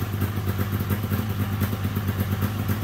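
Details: 1997 Polaris XCR 440 liquid-cooled twin two-stroke snowmobile, first start after premix down the plug holes with weak spark: steady, even idle burble with no knocks or misses, sounding good.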